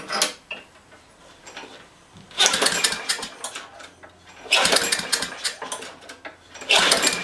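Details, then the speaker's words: Craftsman high-wheel push mower with a 6.75 gross ft-lb Briggs engine, no muffler and a bone-dry tank, given a little gas and pulled. Loud unmuffled bursts fire briefly after each pull, then die out; carb problems are expected. "i'm sure we're gonna have carb problems but i'm just i put a little bit of gas in there"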